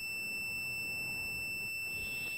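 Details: Toyota MR2 start/stall diagnosis, multimeter continuity test from the trigger-circuit ground pins to the engine block: a steady, unbroken high-pitched beep for the whole test; normal continuity, ground path good.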